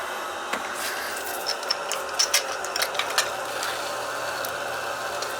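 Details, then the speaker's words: Zoeller sump pump after repair, cords taped up and just plugged in: a faint steady hum with a few light ticks and no grinding or rattle; very quiet, normal running with no leaks. "it's really quiet wow can't even hear it running"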